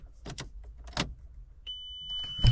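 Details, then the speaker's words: MK4 VW Golf 1.8T after replacing the failed fuel pump with an uprated 265 lph pump, fuse in and battery connected: a few clicks, then a steady high-pitched electric whine as the pump primes normally before cranking. "Let's hope we have a nice high pitch noise that comes from our fuel pump."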